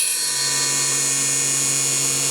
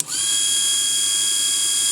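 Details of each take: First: Cheap mini table saw with a roughly 3-4 inch blade cutting a small piece of plexiglass: high, steady whine with a rough, ragged edge as the blade bites, then spin-down; it chipped the plastic a little; owner suggests a different blade, maybe 80-tooth. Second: Mini table saw (about 3–4 in blade, 1 in max cut depth) with a rotary-tool power take-off chuck: a high, steady motor whine comes straight up to speed and holds without sagging before the sanding demo; normal, healthy motor run.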